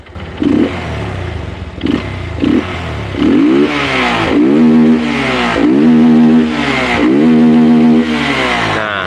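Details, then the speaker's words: Suzuki Verza motorcycle run without air filter, blipped at low rpm: revs hang and sag unevenly, lean stumble since excess air leaves mixture short of fuel at low rpm; retuning would sacrifice top end. "ini enggak pakai filter itu ngaruh banget ke RPM bawahnya karena apa lixing udaranya itu over Pak di bawah sehingga jadi kayak kurang bahan bakar"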